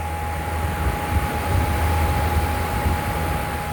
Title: Loud Humming sound